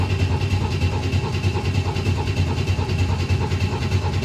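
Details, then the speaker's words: 1962 Chevy II after cleaning filter screen and priming by cranking, steady rhythmic cranking about three beats a second never catching; crank no start, no fuel suspected. "right so no fire I'm assuming from no fuel"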